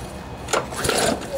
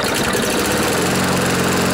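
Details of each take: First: Briggs & Stratton lawnmower engine after hitting something hard, bent blade already replaced: rope pull feels stiff, brief whirr with no firing; won't start, likely sheared flywheel key throwing timing off, key replaced afterwards. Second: Briggs & Stratton lawnmower engine on a test start after replacing a sheared flywheel key and a bent blade from hitting something hard; it sat in rain overnight and may have water in it. It settles into a steady, even single-cylinder beat: an improvement, running smoothly.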